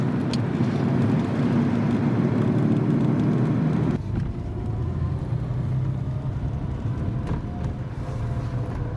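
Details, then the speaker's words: Jaguar Mark II being driven on the road for a test drive. A smooth, steady engine drone under road and wind noise, holding an even note with no knocks or misses; it sounds really nice and healthy. "I must say this one sounds really nice."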